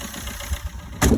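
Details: Astra 1.3 after cleaning a sticking EGR valve and intake and greasing the diaphragm, which had caused a no-start: low, even idle burble with no misses or rattles, brief bump in level; settled and running fine.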